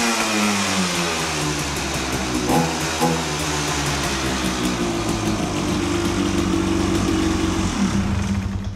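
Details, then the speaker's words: Honda TRX 250 quad (believed about 1986) with a small fuel leak from hose or tap, restarted after refresh: crisp, even two-stroke buzz with a smooth blip, no knocks or rattles; runs perfectly with a stock-sounding exhaust and only light smoke. "Waouh ! Oh [ __ ] ! [ __ ] il tourne à la perfection. Ah là là ! Ça j'aime trop."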